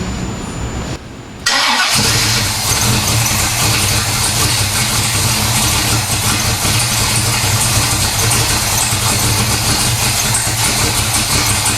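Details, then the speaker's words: 1970 Pontiac LeMans 455 V8 with Quadrajet, after transmission/torque converter rebuild, not run in a while, fuel poured in carb: catches after a short crank into loud, steady, even idle without knocks or misses; healthy. "so so i think sounds awesome all right so it starts it runs"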